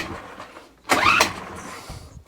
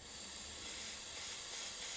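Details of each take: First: Homelite HG600 Lightning Bug generator with Yamaha engine, tip find, on starting spray: two pull-start bursts, then it catches and runs briefly, rising and wavering but not settling; fires fine. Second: Yamaha engine on a Homelite HG600 generator, carburetor being reassembled: pushing a thumb on the part gives a soft steady airy hiss for about two seconds, air escaping the carb vent; normal, nothing wrong.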